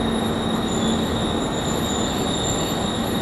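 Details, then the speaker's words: Perforated sheet-metal architectural screen in a wind test rig, turned perpendicular to the wind flow: piercing, very high-pitched steady squeal or whistle over rushing air, wind-induced whistle from the perforated sheet metal. "re going to bring it around another 40 degrees now so that that perforated sheet metal is perpendicular to the wind flow and it begins producing a very high pitched sort of a squeal quite quite annoying very very penetrating sort of a noise"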